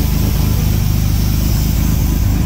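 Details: Restored 1938 SS Jaguar 3½ Litre drophead straight-six: smooth, even low rumble with a steady beat and no knocks or misses, running healthy and settled.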